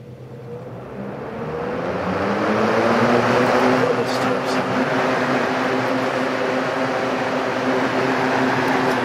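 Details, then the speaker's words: 1971 Wizard 12" box fan heard from the rear, started on low then high speed: smooth, even whoosh with steady low hum, no ticks or rattles; normal running, high speed. "we'll start off on low speed so you can hear no real startup sound this is nice and quiet and from high speed"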